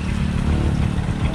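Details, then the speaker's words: Bajaj CT 125 motorcycle after converting to a Honda Supremo CDI (4 wires): low, steady even rumble with no misfires or stumbling, running normally. "So yun nga mga boss, umaandar na yung ating Badja 125 ano."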